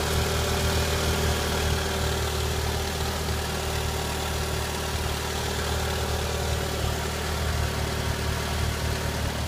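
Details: 2001 Ford Focus 2.0 SOHC engine (code E1FD133), 117,262 miles, running test: steady, even low idle rumble with no knocks, misses or ticks; healthy normal idle.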